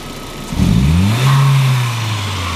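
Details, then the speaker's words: 1999 VW Passat 1.8T (AEB), intermittent hesitation and power loss, original MAF not yet replaced; known-good baseline. Quick clean rise in revs, brief hold and smooth settle from idle: normal throttle snap. "right now this thing looks good those look a lot healthier this is still the old mass airflow I didn't replace it yet"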